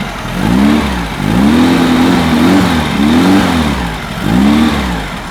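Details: Freshly built high-performance air-cooled VW flat-four for a Baja Bug on its first run at the builder's shop, still cold with 50 lb oil pressure at idle: blipped about once a second, each rev rising and falling cleanly, no knocks or misses. Healthy rev.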